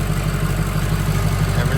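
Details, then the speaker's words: Freshly built diesel in a mud truck just after first startup and restart: steady, even low rumble at idle with a regular beat and no misses or knocks, running good with no major leaks; normal idle. "oh my god oh it's running good too no major leaks"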